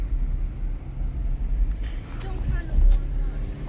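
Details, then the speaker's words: First-generation Toyota Prius just back from hybrid shop after failed emissions test: low, steady, even rumble of petrol engine idling while warming up and charging the battery, traffic around; normal idle during warm-up. "oh i can still hear the engine it's still running yeah it's still getting warmed up yeah yeah"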